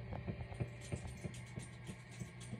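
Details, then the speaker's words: PRS Sonzera 20W amp (older version), idle with nothing played: steady low hum with faint hiss, an intentional noise meant to copy vintage amps, normal. "the I don't know if you can pick it up is the hissing there is this noise it's intentional"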